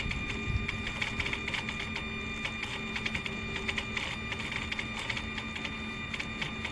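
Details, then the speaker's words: Mercedes SL600 throttle driven by a customer's E-gas module plugged into a 4-door test car, ignition on: rapid uneven ticking and buzzing from the throttle over a steady electrical whine; the throttle jumps and won't hold, E-gas module suspected. "As you can see, it jumps. So that's not good."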